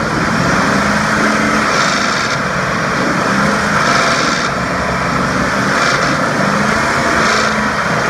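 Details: 2004 Ford F150 5.4L: a light, busy metallic rattle as revs drop off from about 2300-2500 rpm, in drive or park, and still there with the belt off; found to be a broken timing chain tensioner.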